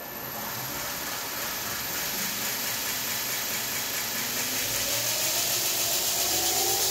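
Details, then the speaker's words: Chinese knife maker's belt grinder bought on Amazon, after replacing the inverter that exploded after seven months (owner suspects dust): power turned on, the motor cooling fan spins up to a steady airy whir with a faint rising tone, smooth and even; normal running. "fans running sounds good now if everything runs right this should uh work"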